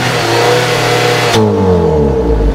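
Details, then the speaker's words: 2010 Jeep Patriot being cranked and run on a scope: runs steadily, then cuts out abruptly and winds down as the crank trigger circuit stops switching to ground, suspected from strong ignition coil kick hitting the 5 V reference and circuits. "there it is it did it so now we see that died over here but where it started to cut out is over here so let's just see right there do you see where it went high zoom in on this we can see it going high and it stayed high the circuit stopped triggering to ground"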